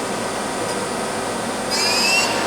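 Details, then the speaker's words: Used Mazak QTN 100 CNC lathe, spindle dialed up manually from 1470 through 2000 to 2800 rpm: smooth high-pitched hum, tone climbing as speed rises, no grinding or knocking. Humming right along, spindle run-up normal. "That's great. Yeah, it's humming right along."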